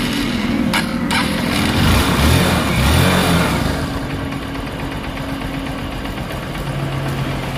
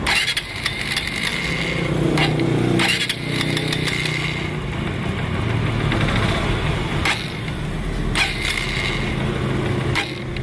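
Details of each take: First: Honda TMX Supremo single-cylinder motorcycle that died and was hard to start when wet from rain or washing, after fitting a replacement spark plug cap: a short rev, then an even thumping idle that holds without stumbling; normal idle. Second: Honda TMX Supremo single-cylinder motorcycle that dies and is hard to start when wet from rain or washing; uneven running with irregular pops and surges, misfire traced to a leaking spark plug cap, not the ignition coil.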